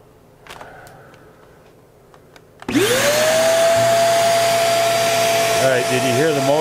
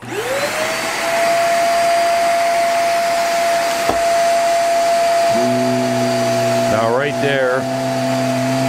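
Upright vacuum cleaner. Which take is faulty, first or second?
second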